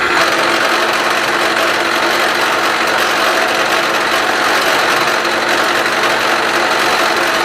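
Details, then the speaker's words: Milling a steel fixture plate with Niagara cutters: steady harsh buzzing whine with rattling chatter edge, leaving chatter marks. "you can see obviously and you could hear it with the chatter marks"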